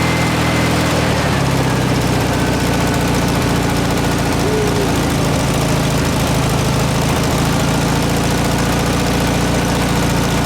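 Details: 1967 VW air-cooled flat-four (ragtop), long-stored, running on old stale fuel with fan housing off; steady even chuffing idle, no misses or knocks. Runs good; owner suspects missing accelerator pump.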